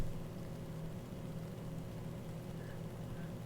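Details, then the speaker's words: Asus ROG Ryujin 360 AIO cooler, fans controlled through Fan Xpert in AI Suite 3 after earlier loud fan behaviour. Soft, steady low hum with no rattle, surging or whine, nearly silent: normal fan operation. "nothing it's running nearly silent now and if you look on the screen what I have on here is fan expert"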